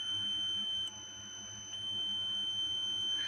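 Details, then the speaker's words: Mesa/Boogie Mark IIC+ Reissue guitar amp, scope probe hovering near the reverb transformer and socket wires: constant steady high-pitched whistle around 3 kHz; preamp oscillation. "I even tried moving the reverb transformer because even keeping my scope probe close to the socket or transformer wires, not touching the probe to anything, just hovering around that area, it showed a 3 kHz oscillation."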